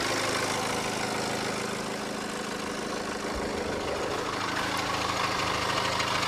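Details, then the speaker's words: 2013 Mini Cooper D diesel with particle filter 480A and glow plug 4 fault codes, heard at idle with the hood down: fast, fairly regular metallic rattle over the clatter, about three per second; cause not determined. "been known for problems and actually I can hear like a rattle off this thing so I'll let you hear it underneath the hood you actually hear that better with the hood down"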